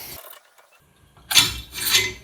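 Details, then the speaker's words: MBK 51 with Gilardoni 70cc cylinder and piston, engine that won't start, piston slid through bore by hand: two gritty rasping scrapes from aluminium-like dust in the cylinder; ring end gap appears large. "Déjà ça fait un sale bruit quand je passe le piston dans le cylindre là, j'aime pas ce bruit là. Hein. Il y a de la poussière là qui racle."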